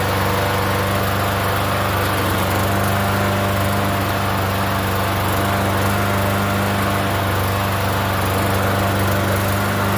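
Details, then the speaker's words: Free Yard Machines 21-inch self-propelled mower, primer-style engine about 10 years old, unused for over a year, first start: steady even single-cylinder drone holding speed, no surging or missing; runs normally. "that's actually pretty good. I wasn't expecting it to run."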